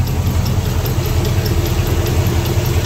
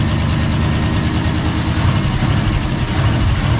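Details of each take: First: Ford FE 360 V8 truck with lost oil pressure, warm after 30–45 minutes idling: a fast, light clatter with some squeaking. Suspected worn pushrod end and rocker arm with a lifter not pumping up, unconfirmed. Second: Old Ford FE 360 V8 truck that would not idle and lost oil pressure, started after several tries with some choke: deep, even burble held at raised idle, steady rhythm without hunting or dying; normal fast idle.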